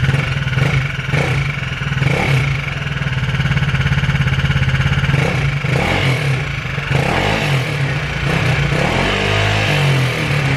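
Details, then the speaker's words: Aprilia SR Max 300 scooter with a new exhaust and a recently rebuilt transmission: a rapid, regular tick in time with the engine over idle and small revs; it starts and runs well; owner suspects connecting rod bearing. "Still starts good, runs good, just as you can hear, ticks pretty bad."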